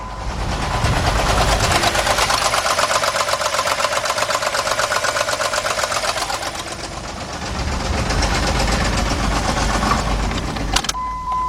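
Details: 2003 Jeep Liberty Sport 3.7 V6, 133,000 miles, with a sudden loud engine noise on the way to work and a misfire: runs rough with a loud, rapid knock about four beats a second, recorded outdoors in wind. Cause not confirmed.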